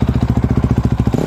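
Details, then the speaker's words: 2004 Honda CRF250X, previously hard to start and wouldn't idle or rev after sitting months with fuel in it, starts quickly and runs cleanly after carburetor clean and clearing the clogged pilot jet. "beast mode back again that's all it needs so guys i hope this helped you out"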